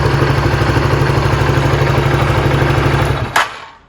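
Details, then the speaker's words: Honda CBR150R single-cylinder with manual ISC replacing the automatic one, idle screwed down from about 1500-1700 rpm toward 1200-1400 rpm; slow, even thump about three beats a second until shut off: normal low idle. "Ini RPM-nya udah saya kecilin. Jadi posisinya di sini nih. Kalau mau kecilin tinggal dikencengin."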